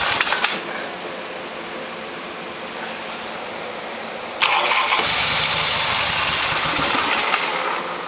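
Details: 1972 Harley XLH Sportster (homemade 1973 build) with its carburetor taken apart and a stuck choke/enrichment, being started with some throttle: a quiet hiss, then rapid cranking that never settles into an even run. Hard starting needs repeated tries; cause not confirmed.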